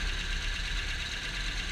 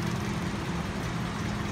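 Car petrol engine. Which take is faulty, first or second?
first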